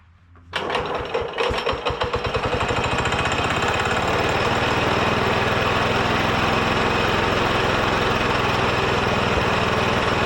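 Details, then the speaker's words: Ditch Witch C99 with a Wisconsin single-cylinder, oil bath air cleaner refilled: a few ragged firing pulses, then it settles into a steady fast chatter. It runs on a smaller fixed-jet carburetor, since the adjustable jet won't fit, but runs acceptably. "because this carburetor is a fixed jet, and I can't just simply take the other adjustable jet and put it on this one because it's smaller. But yeah, it runs, it works for me the way it is for now."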